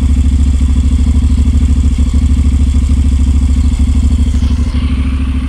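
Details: 2019 Honda NC750X twin, cold start, rough since the first 300 km: the cold idle thumps unevenly at about three pulses a second with dropouts. Misfire traced to zero valve clearance on 5 of 8 valves.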